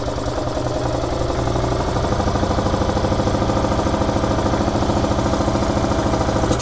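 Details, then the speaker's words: 2011 EZ-GO TXT gas golf cart, brought in as a crank-no-start, iced over after freezing rain: catches quickly on the existing tank fuel and settles into a steady, even putter of about 200 beats a minute with no misses. Normal start and idle. "that's great fired right up okay so that's good we don't have to sleep in the entire tank dry"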